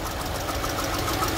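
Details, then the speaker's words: 2018 Mercedes-Benz A200 W176 with 160,000 miles (257,000 km): steady idle with a light regular tapping knock over the engine hum; source not pinned down. "I don't know if you can hear the knocking sound doesn't sound very good all right can you hear the knocking sound foreign"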